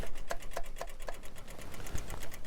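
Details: Engine in a 998cc head repair / 1120cc build, before first start: quiet rapid ticking pulses a few per second that slow and settle; electric fuel pump priming.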